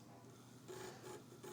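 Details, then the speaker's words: Superscope C-180 cassette tape recorder under test on bench power supply with no belt fitted: quiet irregular dry rattling over faint motor hum as the motor spins; fitting a belt may cure it, not confirmed. "Oh yeah, the motor is spinning and it's rattling quite heavily."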